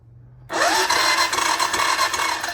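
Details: 1999 Honda Foreman TRX400FW, bought with no spark, during voltage checks at coil: starter spins up with rising whine to fast even spin without compression pulses, as if plug removed.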